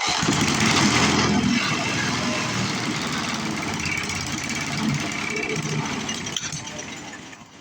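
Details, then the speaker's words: Older 22-inch Murray push mower with a 3.5 hp Briggs engine. It fires and runs raggedly for several seconds, loses speed and dies; the owner suspects a holed primer or a stiff, misadjusted throttle cable. Cause unconfirmed. "That wasn't very good. Not the result I was hoping for."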